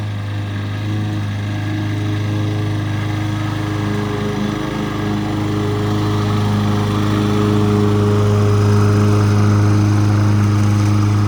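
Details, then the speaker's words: Governed lawn mower engine during a DIY tune-up: steady, even drone slightly low and lazy. The tachometer reads about 3100 rpm against a 3250 spec. "So I want to set the RPMs on it. It needs to be set about 3250. It sounds like it's a little bit low, around 31-ish."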